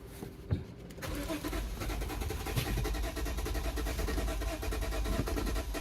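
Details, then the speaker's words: Lexus GS350 (2006 per opening, 2009 per title) after battery installation, engine barely running, won't idle or stay running; fuel pressure looks low; owner suspects timing out or a washed cylinder. Uneven lumpy pulse, no steady idle. "low engine does not sound good I'm thinking something's out of time maybe no idea but this will not idle can hear how that sounds it sounds crappy this will not stay running"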